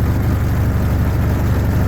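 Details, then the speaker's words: 1952 Willys M38 with a Kubota V2203 diesel swap at about 700 rpm low idle: deep, slow diesel drumming with heavy throb. Shifters and everything shake more, which is why the idle was set at 1100 rpm. "everything's just shaking more so you know so that's why I had the idol where it was"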